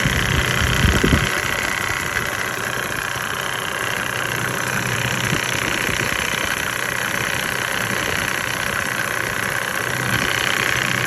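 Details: 1998 Mercedes-Benz E300 OM606 diesel, hot after hours running, at 9,000 ft, before Diesel Purge: uneven idle clatter of about 2.5 pulses per second that does not settle; rough idle, owner suspects injectors.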